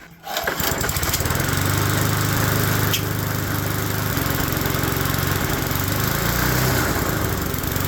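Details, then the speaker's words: Neglected single-cylinder mower, first run, throttle converted to manual, oil overfilled; uneven, lumpy beat of roughly three firing pulses a second that wander in strength; running rough, owner suspects the crankcase is flooded with oil. "probably run better if it's not flooded with oil"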